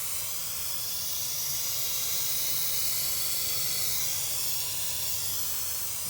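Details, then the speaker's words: Lennox gas package unit with no cooling or heating, refrigerant added: loud, steady, high-pitched hiss of gas escaping, a refrigerant leak judged easy to find; the leak may be in the coil. "oh i hear it now put it right down in there so i don't know how hard it'll be to fix but i can tell you it'll be easy to find"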